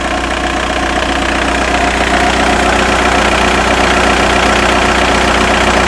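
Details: Skoda Octavia 1.9 TDI ALH (~165 bhp) warm idle at 50°C: regular light knock about four times a second over diesel clatter; alternator bearings and pulley replaced, G60 clutch 8 months old, timing belt kit 18 months old; source unknown.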